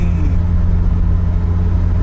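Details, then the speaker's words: Nissan 200SX (S12) at 60 mph cruise after rear differential swap from parts car; before it howled, now steady low road rumble with no whine or howl, rear differential quiet and healthy. "all right that's 60 at 60 it howled before Perfection now zero noise it was sort of worth it yay it was still entirely too much money for this car but at least it doesn't howl"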